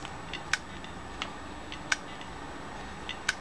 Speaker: pero este disco ya está muerto este disco rígido ya no tiene escapatoria a veces pueden pasar que te empieza a hacer este sonido y en un momento arranca